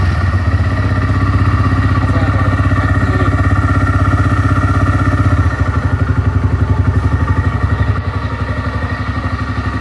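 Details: TVS Rider single-cylinder bike after a repair for a badly worn timing chain and new gaskets. Steady, even idle at about four pulses a second with no rattle or chain slap; sounds healthy.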